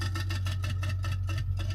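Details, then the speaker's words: Samsung refrigerator prone to freezing: a fast, steady ticking, around seven per second, over a low motor hum as the evaporator fan blade clips built-up ice. The motor is not failing; the fix is defrosting and clearing the ice. "so here's the fan right here and the fan was hitting the eyes but I don't see the ice but it's in there"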